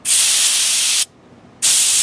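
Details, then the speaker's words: Master Airbrush TC-40T compressor with Paasche airbrush, regulator set at the factory to 60 psi versus the 30–35 psi meant for airbrushing: two sharp, harsh high-pitched hissing bursts of about a second each; excessive air pressure. "Looks like it's set at the factory at 60. Whoa."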